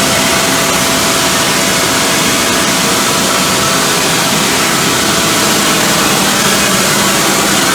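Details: 2005 CompAir L45SR variable-speed air-cooled rotary screw compressor, 60 HP 45 kW motor, enclosure doors off, exhausting full air through a pipe with no dryer: loud steady air rush and even motor drone, no knocks or rattles; healthy at full output.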